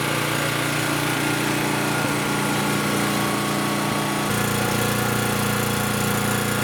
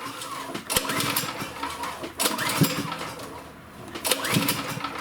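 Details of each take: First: Champion generator that had no compression and wouldn't start, after valve adjustment restored compression: small engine runs at a steady, even buzz with regular firing and no misses or surging. Normal running. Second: Champion generator, overhead-valve engine, choked with spark plug in: each recoil pull spins fast and light with no compression thump and only a faint sputter; no compression.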